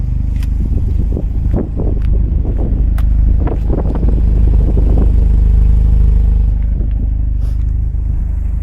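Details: Peugeot 206 GTI 180 petrol at 107,000 miles, just started, with a possible anti-pollution fault. Several quick stationary blips rise and fall cleanly, deep and even with no knocking or rattles. Normal free rev.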